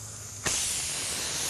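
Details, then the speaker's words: Tyre with a bent wire punctured in it, just pulled out with pliers before fitting a plug/string repair: sharp, steady high hiss starting abruptly, air escaping through the puncture. "okay now you can hear the air coming out if you still have what's holding it the best thing is while the air is coming out while we do the preparation"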